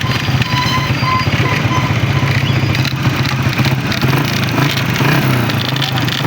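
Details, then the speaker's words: Honda CG125 motorcycle at idle in the workshop, before opening the side cover: irregular metallic crackle and knock over the single-cylinder beat, as if something inside is broken; cause found to be a broken oil pump housing. "जी भाईजान, आवाज़ें तो आपने सुन ली, कितनी खौफनाक आवाज़ें आ रही हैं। होंडा से कड़कड़ की आवाज़ आ रही है, ऐसे लगता है जैसे अंदर से कोई चीज़ टूटी हुई।"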